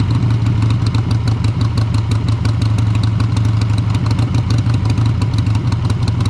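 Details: 2001 Harley-Davidson Sportster 883 Evo with CV carburetor, idle stop screw just reset during tuning for hesitation and stumbles: strong, even loping V-twin idle with no stumble, miss or knock; healthy normal idle, slightly rich, leaned a little afterward.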